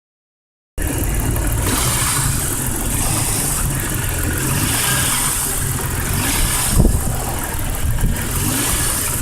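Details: 1998 Jeep Cherokee 4.0 with an uneven knock at roughly three to four a second through a rough idle and short revs; owner suspects rod knock, unconfirmed.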